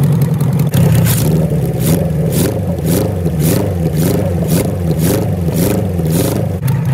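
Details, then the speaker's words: 1974 Kawasaki Z1B 900 four-cylinder engine, never apart since factory, run out of the bike for the first time since 1979 with carbs balanced by wire and blowing; even smooth running with brief revs, no knocks or misses, settling into a steady clean idle: normal idle. "wait it idles beautifully i set them up with little bits of wire and by blowing through them last night"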